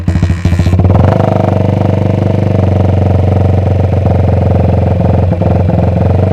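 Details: Restored 1979 Honda XR80 single-cylinder, fuel in the tank unknown: settles quickly into an even, deep growling idle with no knocks or misses; normal running.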